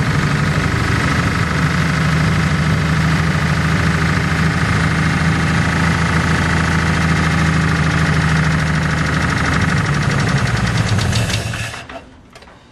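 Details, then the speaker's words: 1949 Pontiac flathead eight, previously seized and freed, bad head gasket and leaky exhaust, running after first start: fast even ticking over rough idle; owner suspects noisy or stuck lifters, not a knock, unconfirmed. "a bit of a noisy lifter but that's just to be expected i'm not sure doesn't sound like a knock definitely sounds like lifters"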